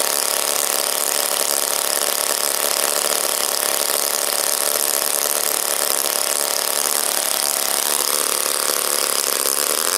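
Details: OS Wankel rotary, 4th tank, on 5% Omega fuel with extra castor, a 10x4 APC prop, a crimped brass header and the needle about 2–2.5 turns open: high raspy scream sags and dies. Leaning killed it, though the manual calls this rich; owner suspects overheating.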